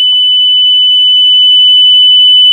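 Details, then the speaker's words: UPS circuit board with a long continuous beep fault: the MOSFET is desoldered and tested with a multimeter, giving a steady high-pitched continuity beep across its legs; the MOSFET is shorted and must be replaced. "মানে এখানে রয়েছে খারাপ এই মসপেটটি change করতে হবে"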